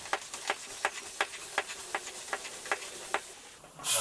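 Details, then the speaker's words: Road bicycle tubeless tyre on carbon rim, in workshop: faint steady hiss under sharp ticks, then loud rush of air leaking through at least two holes and a larger cut as sealant is added. "at least two holes in this you can hear it hissing and I mark them with tape and another slightly larger hole or rather cut here"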